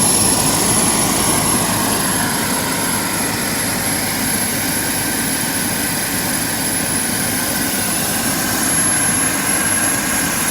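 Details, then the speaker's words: JetCentral model turboprop turbine on a test stand during its first start-up, temporarily fitted with a wrong-size test propeller: steady high-pitched turbine whine over an even rushing roar, no surging; normal, clean running. "can't be happier it sounded so good I love it it's just a great piece of equipment"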